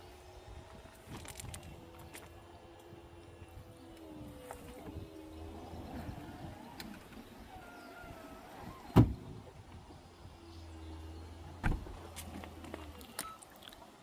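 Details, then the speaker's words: Saab 9-3 convertible hood operating: quiet motor hum shifting pitch in steps with a thunk near the end over roughly 20 seconds, and a beep when the cycle completes; normal roof operation. "The hood takes roughly about 20 seconds."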